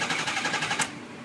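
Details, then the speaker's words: 2006 Ford Econoline 6.0 Powerstroke diesel, crank no start with no base oil pressure: fast rattling pops through the intake during cranking that stop abruptly without catching; popping during crank. "I have absolutely no oil pressure and you can also hear that when they don't have good oil"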